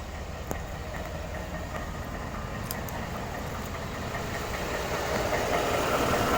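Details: 2013 Ford F-150 5.0 V8, 95,000 miles, Ford-serviced since new: steady idle with a light regular clack about four times per second over the engine hum; knock of unknown origin.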